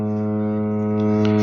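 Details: Samsung washer-dryer during water fill with inlet valves on: loud steady droning buzz around a low hum; water inlet valve vibration noise.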